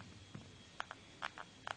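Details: Xiaomi Redmi 1s phone: short paired dry plastic creaks each time the back casing is pressed near the area that normally heats up, with no noise elsewhere; likely a loose back panel.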